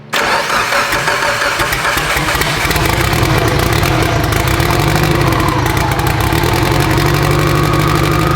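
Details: Abandoned Evo 8 being built toward 800whp, restarted after a coolant top-off; it catches instantly and settles into a steady, deep, smooth idle with no knocks or misses, with oil pressure, AFRs and fuel pressure all good.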